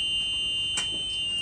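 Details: EZGO RXV golf cart in reverse with the gas pressed after the brake pedal switch issue was cleared: steady, unbroken high-pitched backup buzzer sounding normally; the cart now runs.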